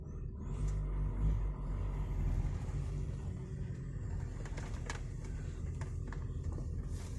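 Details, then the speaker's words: VW T5 van on test drive after gearbox bearing replacement: low, smooth rumble pulling away in first gear, no whine or grinding; gearbox operating normally. "Kārba slēdzās labi. Trešais. Ceturtais strādā."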